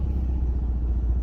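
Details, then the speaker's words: Infiniti G37 VQ V6 while driving, transmission also shifting hard (torque converter suspected): deep, raspy rumble louder and rougher than a sealed system; bad exhaust leak at the Y-pipe. "The exhaust leak is so bad. So freaking bad."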